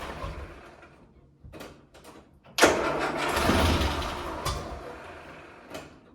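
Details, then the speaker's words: Land Rover Series 3, first start in months after head gasket replacement, battery low: short hesitant cranking bursts, then one rough labouring spin before the engine catches. Slow intermittent cranking; owner suspects a faulty starter motor. "Sometimes the starter motor works really well and then it goes What is going on with that starter motor?"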